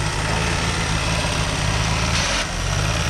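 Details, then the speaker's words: Front-crashed car running with radiator pushed in; key couldn't be turned off, common in crashed cars: steady idle then a harsh third-second grinding rasp ("gya") as she tried to restart the running engine. Starter grind. "I'll tell you why the car made that "Gya" sound, she tried to restart the engine."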